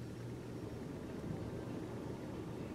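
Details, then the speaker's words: Upstairs central A/C with dead thermostat display despite good batteries, breakers fine; thermostat switched from auto to fan: quiet steady airy rumble, no ticking or scraping; blower motor runs normally. "maybe you can hear the blower fan came on so i said well that's which is working at least"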